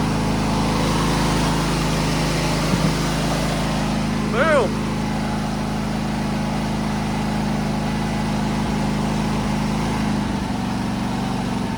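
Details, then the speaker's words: Craftsman T3000 riding mower, Briggs and Stratton V-twin, 103 hours, just after replacing surging carburetor with BUTOM kit: first start after choke and cranks, steady even idle with no surging or hunting. "oh my gosh it aisle is beautiful"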